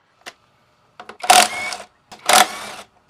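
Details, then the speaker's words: Motorcycle front wheel spun freely: harsh scraping rasps about once a second with thin squeal as the 3-piston caliper's pads drag on the disc; pads worn unevenly to bare metal, constantly rubbing. "Pag ginano mo, free wheel mo, rinig na rinig mo yung kuskus ng brake pad sa disc"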